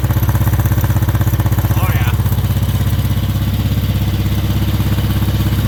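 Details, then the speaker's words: 1963 Honda CB77 305 Super Hawk twin, cold: loud, lopsided chuffing exhaust running on one cylinder because a spark plug lead was unplugged. Something had apparently been living in the exhaust pipe. "she's definitely a rudder runner but i think something was living in this pipe we seem to be a one lunger right now as opposed to a twin"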